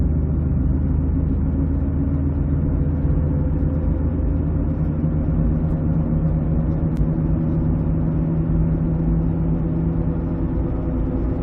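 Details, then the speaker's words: 2006 Ford Escape Hybrid, constant low front hum over road rumble, unchanged through a curve and persisting with the engine off on electric power, so not the electric motor; front rotors and pads already replaced; owner suspects a bearing. "it's just that freaking hum is driving me nuts i don't get it i can think of gotta be a bearing"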